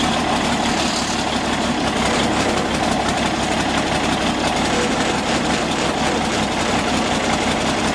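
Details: Galion T500 motor grader diesel, sat 14+ years, running after the fuel was turned back on: steady, even diesel clatter at constant speed with no misses or knocks; engine now running cleanly.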